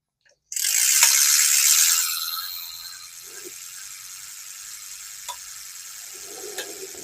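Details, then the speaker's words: Vintage Daiwa 4000C Silver Series spinning reel after cleaning and lubing: smooth whir when cranked with occasional sharp tick because the handle nut wasn't tightened. "Every once in a while I hear it ticking. That's because I didn't have the handle tight."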